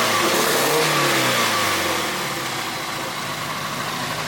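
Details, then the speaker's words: 1G GSX AWD big-turbo build revved after the cam angle sensor was clocked to help starting. Revs blip and settle with an uneven, stumbling beat, one cylinder seemingly missing; redoing the wiring or going back to regular plug wires is considered. "it's simply got a miss to find it either redo the wiring or just go back to a just like a regular spark plug wire"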